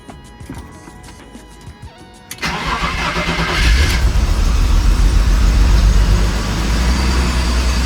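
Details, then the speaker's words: BMW E30 with M10 engine, 143,000 miles, new battery, restarted after it stalled following 5–6 minutes of idling: fires after a couple of seconds, then a lumpy, wavering idle close to stalling, with smoke; owner says it needs a tune-up and fresh gaskets. "It's very jerky and stuff cuz it needs a good tune-up. Sounds like it's about to shut off."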